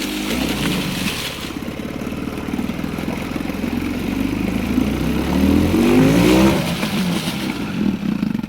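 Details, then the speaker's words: Outboard on a free jon boat, in forward: engine dies when throttle opens without fuel, but with choke on it revs hard with a steady fast beat and rising pitch, plenty of power; owner suspects lean mixture or massive vacuum leak, unconfirmed. "scads of power. So it's a mixture thing, I think. I think that's what that means. Soon as you starve it of oxygen, she's just got more power than you know what to do with."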